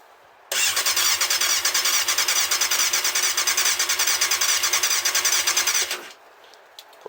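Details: Yamaha Thundercat, first start after carb overhaul with float needles and seats renewed, fuel in the carbs and fuel pump disabled: fast, even starter chatter for about five seconds, never fires.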